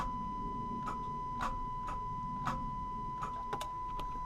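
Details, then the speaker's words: 6.5 Detroit Diesel truck, parked under a carport, key turned in neutral: sharp irregular starter clicks about once a second but no crank; owner says the old starter is bad, occasionally it does crank over. "We got some clicking going on. So you can hear that clicking in the video."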